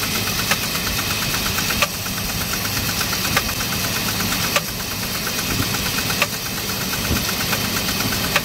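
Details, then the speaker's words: 2004 Jeep Liberty Renegade, very high km, no oil change in over 100,000 km, cold start after -30 night: rapid ticking and uneven knocks over rough idle, miss on one side; owner suspects collapsed lifter or dropped rocker arm, unconfirmed. "oh i just heard something attacked a little bit there oh i heard another crack yeah i do hear some but there's another knock"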